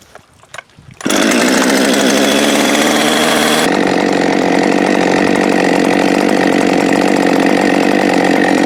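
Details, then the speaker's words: Husqvarna 550XP AutoTune chainsaw after case and seal rebuild and pressure/vacuum leak test: starts first pull, crisp steady high buzz, warms up and drops to idle without bogging or stalling, no idle overrun; normal running. "so that's a happy 550 starts first pull you can get it warmed up drop it right to idle it doesn't bog or stall"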